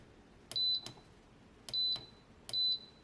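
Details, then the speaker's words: TEVO 2 kW infrared heater SNBHTR, on test: sharp high chirps, double then two single beeps; controller shows an error, suspected current sensing through element. "so looking for it to light up now hey look at that it's got an error can I turn it off there's a remote work maybe it doesn't work under error"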